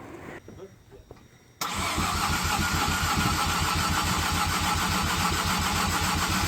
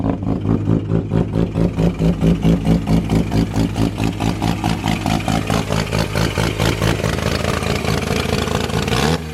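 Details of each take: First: Mazda FD RX7 with bridgeport rotary engine, first start attempt: after a pause the starter cranks steadily at about three and a half beats a second but it never fires; fuel pump wiring and MAP sensor being checked, cause unconfirmed. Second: Mazda FD RX-7 bridgeported rotary, first start after clearing flooding, fuel pump relay jumpered: choppy, lumpy ported-rotary idle, then a sharp rev that settles back. It starts right up and runs healthy.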